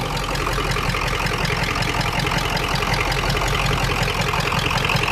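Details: Truck idling with a failing camshaft position sensor: a steady low idle with a slightly uneven, lumpy beat about two to three times a second; the bad cam sensor is upsetting the idle, and a Motorcraft replacement is planned.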